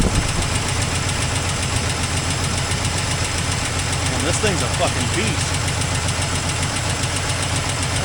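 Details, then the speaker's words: 1984 Toyota Land Cruiser FJ60, long-stored, first run after many years: rough uneven idle with puffing, ticking chuff under the engine note; exhaust leak. "Got an exhaust leak."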